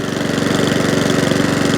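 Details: Mountfield 414/164 self-propelled mower rescued from a tip, having a good long run, carburetor likely dirty inside: quick even single-cylinder putter, steady beat, no misses or surging. Normal running.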